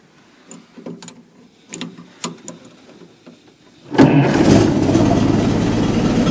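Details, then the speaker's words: Ford Model T four-cylinder just after refitting its rebuilt carburetor: it catches and settles into a steady, even idle with no knocks or misses. Running well. "yeah she's back up and looking good running good"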